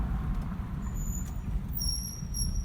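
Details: Thin piercing brake pad squeal over low road rumble when the brakes are applied, slow or fast, on pads only six months old, from burred pad edges.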